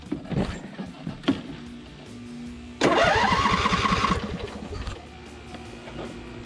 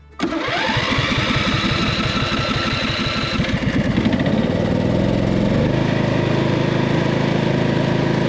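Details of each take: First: Cub Cadet RZT 50-inch zero-turn mower after engine swap, choked start: starter whirs briefly, engine catches cleanly and settles into an even, steady idle with no misses or knocks; sounds healthy. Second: Cub Cadet RZT 50" zero-turn mower engine, which clunked and quit for the previous owner: runs lumpy on one cylinder, then dies when the good cylinder's spark plug boot is pulled; the other cylinder is dead, a bad engine.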